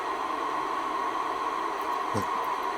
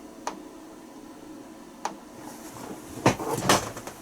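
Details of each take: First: Icom IC-R8500 receiver, intermittently failing, in a cold workshop, working after unplugging the reference input: steady even static hiss with a faint constant tone underneath, squelch open; normal receiver hiss. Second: Icom IC-R8500 receiver under repair, intermittently losing reception and poorly sensitive: sharp, isolated clicks come irregularly every half second to second, with some handling noise. Ticking of unknown cause.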